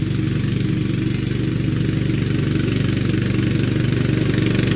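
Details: Craftsman LT2000 lawn tractor, unused since about 2013–2014, after new deck belt: small single-cylinder thumps along steadily and evenly with no misses or knocks; normal running.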